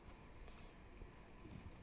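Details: Bicycle hydraulic disc brake after straightening the bent rotor and centering it between the pads: soft low whir of spinning wheel, no scraping or rubbing.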